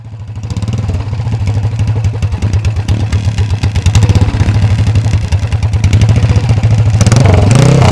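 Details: Workshop-restored 1970s Alan Clews CCM big-single racer dirt bike, oil carried in the frame, revving with an open pipe: deep, even thumping with steady firing pulses as revs build. It sounds healthy and strong.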